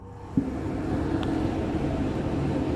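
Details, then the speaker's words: Hotpoint First Edition TL51 tumble dryer, 5 kg drum, possibly from September 1999, secondhand: loud steady low rumble and hum starting suddenly, running noisier than it should. "I'll turn the cool down, and it's a little bit noisy because I got this from my auntie."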